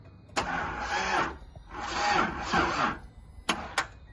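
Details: 1983 Datsun 280ZX that sat 18 years: starter cranks in three short bursts with no firing, engine turns but won't start; owner suspects a bad ignition coil and tests by swapping in a good coil.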